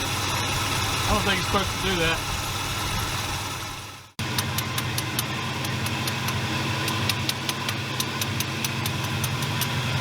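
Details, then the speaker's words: 1981 Buick LeSabre, Oldsmobile 307 V8, after battery reinstalled: uneven, lumpy idle with sharp ticks about four per second, running rough; owner suspects worn distributor shaft, timing or vacuum leak, unconfirmed. "nope still sounds like a beast all right well let's see where we go from here"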